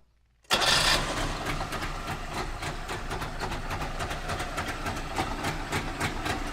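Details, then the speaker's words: Trabant two-stroke just started: a loud, uneven metallic rattle from the front over the engine beat. The owner suspects the exhaust is touching something, not yet confirmed on the lift. "I'm gonna try to find what makes this sound, what a real bad rattling sound in the front."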